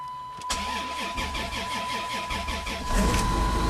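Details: Plymouth at about minus 1 to minus 2 °C with snow on the ground: long, slow, laboured cranking, then the engine finally catches near the end and barely keeps running; hard cold start.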